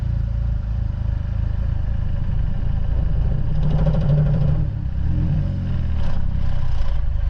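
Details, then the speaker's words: Chevy HHR SS with newly installed twin-disc clutch and replacement throw-out bearing, first take-off: low engine drone with uneven shudder and pulsing on engagement; clutch chatters, not driver friendly. "oh and install it sounds like a chattery son of a not driver friendly"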